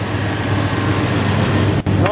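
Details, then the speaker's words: 1988-95 Chevy Silverado/GMC Sierra 5.0/5.7 V8 with mechanical fan, after replacing the glazed belt and the belt tensioner: steady, even idle, the earlier squeak from the accessory belt drive now gone; normal idle. "hey remember that noise what happened not making a noise anymore"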